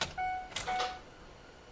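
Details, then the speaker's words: 2004 Ford Explorer with PATS theft-light problem, key turned on in quiet cab: short electric hum around 750 Hz as the throttle (tach) motor primes, showing the PCM is powering up normally. "You hear it come on right there. That means the PCM's powering up."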